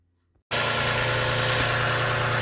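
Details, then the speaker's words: Toyota (Lexus) RX350 at idle with the water pump belt removed: smooth, quiet steady idle with no rattle, showing the timing chain components are fine and the rattle came from the water pump. "all right so with the water pump or with the belt removed kind of much quieter already that's a good thing that means our chain drive timing component components all that are good"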